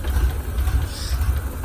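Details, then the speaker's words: Ford Ranger (mid-1990s) 3.0 V6, 5-speed, from a wrecked truck, started by jumping the starter solenoid: no smoke, ticking or knocking, but low, lumpy, wavering rough idle; owner suspects broken vacuum lines sucking air. "No smoke, no ticking, no knocking. It's got a horrible idle though."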